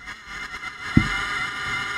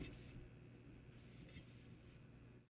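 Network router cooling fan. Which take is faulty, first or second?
first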